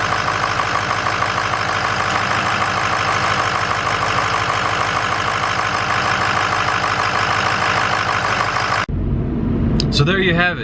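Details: 2006 6.0 Powerstroke diesel idling after alternator replacement and belt retensioning: steady, even diesel clatter with no knocks, squeals or misses; engine sounds healthy.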